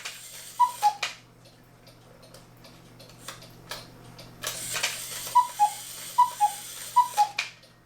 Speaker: but now it seems to be cooking better without a hang up problem or a funny sound